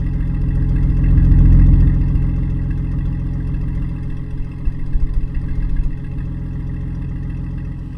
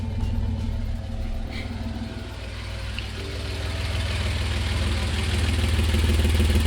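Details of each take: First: 1988 Toyota Land Cruiser FJ62 with new stainless exhaust replacing a rusted, holed system: deep even rumble swelling smoothly with each throttle blip, no rattles or leak puffs; healthy exhaust burble. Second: 1988 Toyota FJ62 Land Cruiser with a rusted exhaust before replacement, recorded right at the hole under the driver's seat: loud, raw, low drone with rapid puffing at idle. Exhaust leak.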